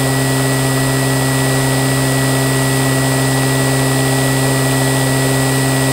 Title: QUALCAST ELECTRIC MOTOR(AFTER REBUILD)